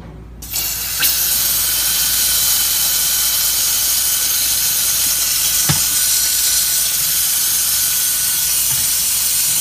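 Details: 2004 Ford diesel truck with hot no-start, air-pressurized high-pressure oil rail, engine off: loud steady hiss of escaping air throughout; air leaking past injector o-rings, number five injector found bad.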